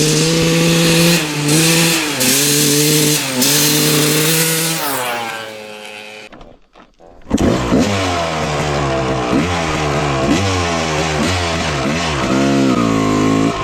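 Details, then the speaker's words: 1995 Honda CR250 with the old flywheel reinstalled: revs climb, then sag and nearly die before recovering. The throttle bog returns, tracing it to the faulty flywheel. "it was the flywheel you got to be kidding me wow"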